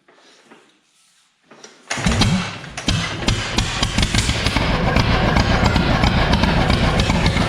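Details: John Deere B tractor (s/n 147828), first start attempt with radiator off, in neutral and choked: quiet, then the engine catches and settles into a steady, even low putt with a quick firing beat; starts and runs fine.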